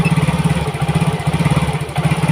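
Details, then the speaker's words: Yamaha Mio GT fuel-injected scooter before injector replacement, throttle held since it stalls when released: uneven, pulsing low putter surging and sagging; clogged injector, intake pressure normal at 33 but mixture trim reaching 24.8%. "Nah, ini posisi saya itu sambil menarik gas ya, karena ini kalau dilepas si motor ini akan mati."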